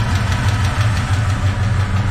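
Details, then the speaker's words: 1970 Chevy truck that sat a long time, after a new starter, oil change and header gaskets: steady idle with a light, fast valve train tick, louder on one side; owner suspects a collapsed lifter or a valve out of adjustment. "remember this truck sat a long time so I don't know if it's got a collapse lifter or or what or an out of adjustment valve so I don't know what's going on with that"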